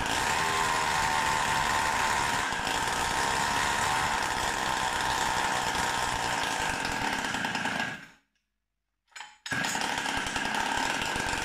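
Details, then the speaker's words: Samurai 40cc tuned two-stroke with new heat-sinked CDI: high raspy buzz that won't rev cleanly, uneven sputter and brief cut-out; starts better and runs more stable, but ignition advance suspected too late. "so it's kind of promising it seems to start better and run more stable but it doesn't rev up and sputters ignition advance is probably too late"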